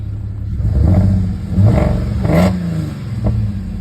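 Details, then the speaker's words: 2010 Audi A6 C7 S line 3.0 supercharged V6 shakes and vibrates heavily at idle right after startup with a deep, uneven, stumbling idle; codes P0300, P0304 and P0305 show a multiple-cylinder misfire, later bringing up the EPC and traction lights. "so I'm having a little bit of an issue with this today um as I started up car is going to shake a lot and we're going to try to figure out what's wrong with it so here we go so I don't know if you can tell but it's vibrating a lot"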